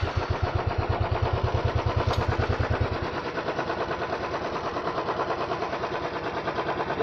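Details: Royal Enfield Thunderbird 350X idling with a steady thump about three beats a second and a light tinny rattle on each beat, like loose parts vibrating, also misfiring; cause suspected, not confirmed.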